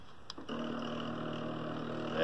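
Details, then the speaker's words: Original SteppIR controller after replacing the driven element stepper motor driver chip: faint click, then steady even motor hum with clean tone; stepper drive runs good and strong. "good and strong hey so replace the driver chip are good to go"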